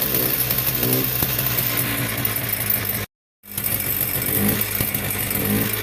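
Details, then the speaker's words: Polaris Trail Blazer 250 ATV bought as a non-runner: raspy two-stroke held at a fast, slightly uneven idle with a brief cut-out; stalls at low idle, low compression suspected. "It has to run at a higher idle. Once it comes down to a low idle, it won't stay running"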